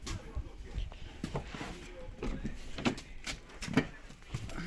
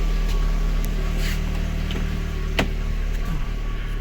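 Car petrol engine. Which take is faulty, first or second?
second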